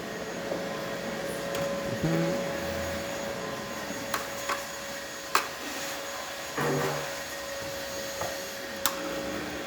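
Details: Gaggia espresso machine that had zero pump pressure, tested hot after a tune-up and water pump replacement: a steady buzzing pump hum at an even tone under light clicks while pulling a shot with good flow. Pump working normally.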